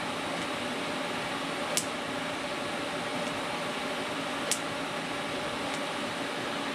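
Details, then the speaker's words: Everlast 255EXT TIG welder, normal arc strike at the correct torch height and very low amperage: a crisp little snap, then a soft steady hiss that carries on evenly; a clean arc start. "here just a little snap and then the arc starts"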